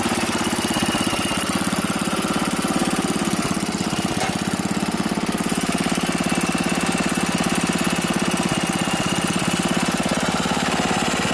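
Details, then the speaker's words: Wheel Horse tractor single-cylinder engine, first start after rebuild: steady, even thumping at fast idle with no misses or knocks; ran flawlessly for about a minute before fuel leak and blue smoke; normal running. "so that is awesome guys the engine started up after the rebuild and you hear how well it ran it was running flawlessly until up until about a minute into it"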